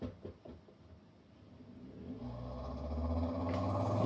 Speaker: So it's trying to run the pump and drain the water. You can turn it off. Starts right back up